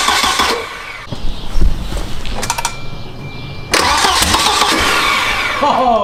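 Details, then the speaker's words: Turbo wagon engine on a new Microsquirt standalone harness with coil driver just installed, first start attempt; starter churns with a few uneven chuffs that never catch; weak firing, cause unconfirmed. "sounds like we got a spark now this was way easier"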